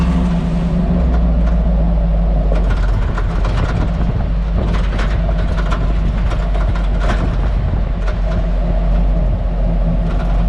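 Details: Hummer H2 at only 10–20 km/h, not hard suspension travel: loud road rumble with irregular sharp cracks and rattles. The rear rattle comes from the cargo area and has lasted years. New springs, shocks, spring seats, stabilizer links and bushings didn't help, and the cause remains unknown.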